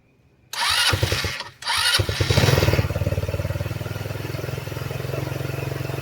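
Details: GY6 scooter after a CVT repair with the bolt retorqued to about 39–40: the engine catches after a couple of tries and settles into a steady, even putter with nothing rattling; normal idle.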